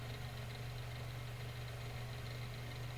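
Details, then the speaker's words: Mainstays 9-inch high velocity fan on medium speed, already found shaking: steady low hum with a faint buzzing rattle, even throughout. Slight vibration from blade imbalance. "Now, don't mind me, guys. I actually do like the sound these make when they vibrate a tiny bit."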